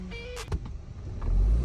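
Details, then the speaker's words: 2011 Volkswagen EOS 2.0 TSI after OEM PCV/crankcase breather valve and timing cover gasket replaced to fix a vacuum leak: steady, low normal idle with no misfire codes, just brief handling knocks. "So, no more misfire codes. Look at this thing. It's irreling. Perfect."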